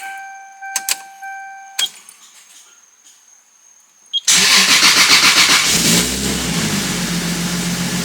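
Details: JDM Toyota MK4 Supra (2JZ) after months of sitting and no-start, now fitted with a new ignition relay after the factory one tested open-circuit: a few quiet clicks and chimes, one short crank, engine catches at once and settles to steady idle; starts normally.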